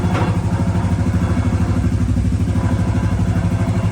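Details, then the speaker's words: Suzuki LT-Z 250 quad: even, steady low thumping idle of about three pulses a second. It fires right up and runs perfectly; the light rattle on top comes from the lift, not the quad. "And I mean, the thing runs perfect. It fires right up. Runs fine."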